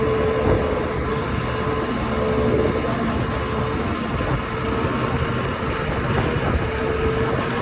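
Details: OX66 outboard running steady with a rough, gritty grind under the motor note and a faint whine; new spark plugs helped only briefly, compression excellent, prop not slipping, source unknown.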